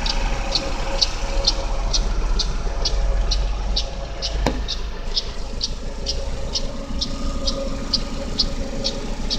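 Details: GM Daewoo Lacetti, GM E-TEC II 1.5L F15D3 DOHC inline-4 petrol, cold idle: crisp, even ticking about three times a second, loudest between exhaust cam pulley and power steering pump, disappearing after 15–20 minutes running.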